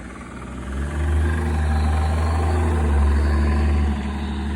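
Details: BMW 335d M57 diesel idling: deep rumble with a faint steady knock, first suspected as injector ticking then rod knock; actually a failing AC compressor, confirmed by cutting the AC belt.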